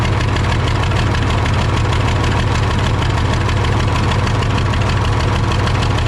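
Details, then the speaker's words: Case 855D loader 12-valve 5.9L Cummins diesel with misfire, power loss and overheating, number one injector line cracked open: loud, rough idle with heavy rhythmic clatter, only slight performance drop; owner suspects number one injector is the bad one. "okay so finally got cylinder one cracked open enough there and I did hear a little loss in performance there so I'm thinking that even though number three was the only one we didn't hear anything from uh I think that's going to be our main issue"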